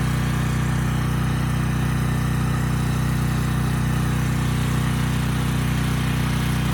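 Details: Briggs and Stratton Storm Responder generator, bought as parts machine, under a 3,000 watt load; steady, even drone with firm low hum, no surging or misses, holding speed cleanly; normal running under load.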